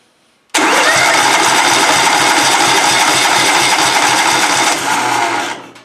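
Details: Compression test cranking on a twin-cylinder engine with throttle held wide open and spark plugs disconnected. Steady, even chug of about three pulses a second with no skipped beats. Both cylinders read about 200 PSI, which is even and healthy.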